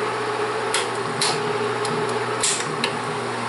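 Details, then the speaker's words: Bell & Howell Autoload 8mm film projector motor on, running forward: steady low hum with light even whir and a few stray clicks; mechanism runs smooth and healthy. "Bien, pues ahora sí vamos a echarlo a volar. Motor, okay. Vamos a darle hacia adelante."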